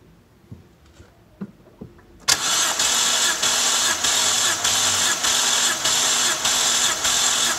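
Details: BMW 325i E90 N52 engine that burns oil, compression retest on cylinder 1 cranked about ten times. Starter cranks steadily with even, regular dips and no lazy or uneven beats. Reading went even higher, strong and healthy.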